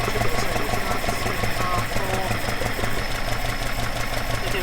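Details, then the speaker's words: Alfa Romeo 105 GTV with twin Dellorto/Weber carburettors at idle before balancing: low, lumpy, rough idle with uneven beat and vibration; carbs unsynchronized, airflow gauge reading four on one and two on the other. "take one reading now the engine's quite rough vibrating quite a bit it's not synchronized"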